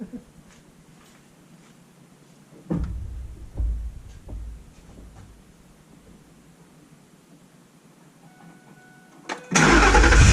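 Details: 2005 Ford F-150 with a Spectre cold air intake, recorded near the radiator: a few handling knocks, then a brief crank and the engine catches at once and rises cleanly, a normal start.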